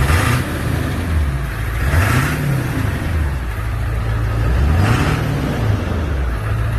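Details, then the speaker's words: 1999 Ford F-350 crew cab dually, 7.3 diesel, ZF6 manual six-speed, about 299,000 miles, engine resealed, new water pump and thermostat: big diesel rumble climbs smoothly through a few blips and drops to a steady idle, no knocks or misses; healthy. "water pump is new thermostat is new it sounds healthy very healthy truck"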